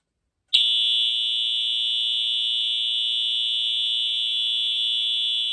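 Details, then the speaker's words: EH-24S fire alarm horn, restored unit powered from a 24 V supply: steady, high, buzzy note that cuts in sharply and holds evenly, slightly raspy and stuttery as these horns typically are; horn works normally. "and there you go you can see it does fully work so it does still sound a little bit raspy and stuttery but then again it's an eh horn and they're gonna sound like that"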